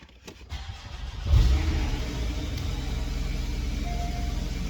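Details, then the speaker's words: Porsche 718 Boxster S, 2.5 with 350 bhp, first start after purchase with many dashboard error messages: starter whirr, clean catch, brief flare, then a steady, even idle with no knocks or misfires. Healthy cold start. "we've got loads of error messages on the dashboard but we can get those sorted out that sounds good"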